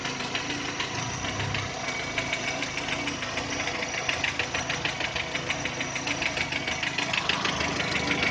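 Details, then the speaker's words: 2010 VW Touran 1.6 BSE, cold start after two days parked: sharp regular tapping about three per second at idle once revs fall below 1000, growing quieter as it warms, gone above 1000 rpm; seemingly left side. Rebuilt just over 15,000 ago: new pistons, valves, hydraulic lifters, bored block. "По мере подевания он все тише и тише стучит."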